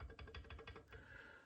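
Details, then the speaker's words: Idler pulley on pre-1919 Brown and Sharpe No. 2 surface grinder, worn and abused, rocked by hand in its frame mount; quick hollow clicks about six a second from loose play in a worn, dry bushing. "coming back to the idler pulley where where it mounts into the frame you know these guys also have you can hear that they've got a fair bit of play"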